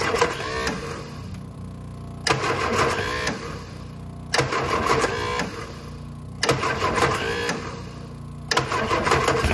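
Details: Innocenti S Spyder that sat for years, first start try after fuel tank removal, fuel line check and bleeding air from the fuel system; starter churns in bursts of about two seconds, cranking repeatedly without catching; long, slow start.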